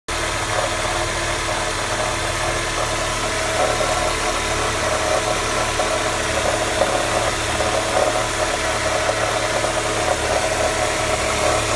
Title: MB CLK 200 Strange noise cold start